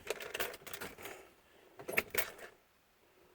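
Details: Vintage RV with new ignition and start problems; engine cut out while driving, then on restart attempts a few sharp dry clicks with no crank or firing. Cause suspected, not confirmed.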